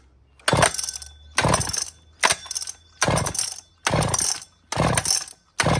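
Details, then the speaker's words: Old, rare chainsaw (model 28 2399 or 2899 B10), flooded after too much gas was poured down the carburetor: slow, gentle pulls about once a second without the decompressor, and no firing at all. The plug is wet; the owner suspects the carburetor is hooped. "Okay. So, I poured too much gas down the carburetor. So, now I'm giving it the slightest little squeak. And I'm not using a decomp."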